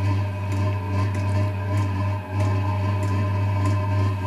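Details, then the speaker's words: Diesel parking heater on first bench test before installation, exhaust not yet fitted with muffler: steady low hum with a soft roar swelling as the burner catches; normal ignition. "She's starting to roar a little."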